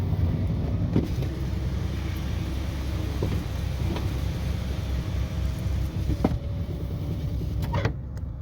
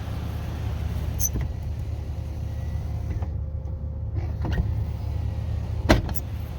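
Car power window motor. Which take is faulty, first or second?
second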